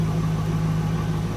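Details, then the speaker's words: 2002 Pontiac Trans Am WS6 V8 with almost 200,000 miles, after new spark plugs replaced a single faulty plug: steady, even low rumble and a smooth idle with no skips; the misfire is gone. "No misfires. Yep. It was a plug the whole time."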